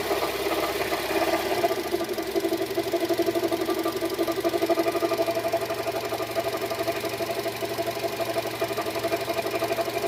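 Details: Engine knock on Renault H4M engine at 52,000 km: light, fairly regular ticking knock about two beats a second over steady idle with faint squeal; source not yet pinned down.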